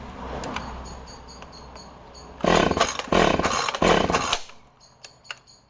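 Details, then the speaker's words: Husqvarna project chainsaw (owner unsure if 445 or 455), running as found with original plug and filter: three short revs with a faint stumble on pickup; sounds slightly rich, owner suggests carburetor service and fresh plug. "So that's an amazing little project saw, but she does have that, you can just hear it, can't you, when she's running, just that tiny bit of hesitancy. But again, carburetor service, fresh plug."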